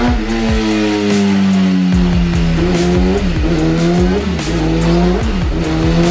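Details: 2017 Kawasaki ZX10R on dyno after slipping clutch readjusted: repeated full-throttle sweeps, note rising evenly with no flare or hang; clutch grabbing, healthy pull.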